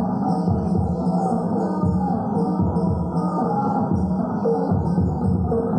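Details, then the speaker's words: Power amplifier that previously produced a humming drone, after a dead transistor causing the hum was replaced; music now comes through full and clear with no low hum underneath, a clean output. "đã có âm thanh rồi vâng, nó rất tốt vâng và nó không còn ù nữa vâng"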